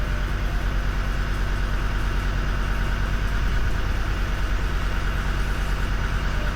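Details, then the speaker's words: Land Rover Defender TD5 diesel at idle before repair: heavy, uneven lumpy pulse about two beats a second, rough for a normally smooth TD5; diagnostics show coolant temperature sensor fault, also zero air flow reading (MAP sensor suspected). "See that idle isn't right. And see, it's quite rough. TD5s are normally a really smooth engine."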